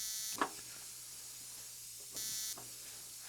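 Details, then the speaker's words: 1950s spark plug cleaner and tester, plug under air pressure: two short bursts of thin crackly buzzing over mains hum; spark heard but not visible in the mirror. Weak spark, cause not confirmed. "And it works, but you can't see the spark. It's just a really weak spark."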